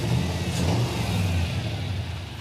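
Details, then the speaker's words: 1966 Corvette V8, stored since 1993: brief rev falls away with lumpy, lopsided exhaust beat, one bank firing, at least one dead cylinder on the other side, running on six cylinders; cylinder misfire. "When you listen to this side versus that side, it's not the same. These ones are all firing on this side. Yeah. Now come over here. Got at least one dead hole over here."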